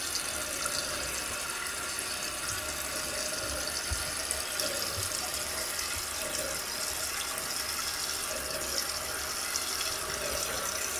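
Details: Toto one-piece toilet after rebuild with new flapper and fill valve (ball cock), fixing a loud whistling sound: even hiss of water filling the tank, no squeal, hammering or chatter; refill now quiet and normal.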